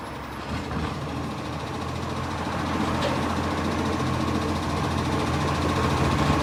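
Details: Brisbane garbage truck 707 with a diesel engine rumbling and a rough, puffing chuff about four times a second from an exhaust leak.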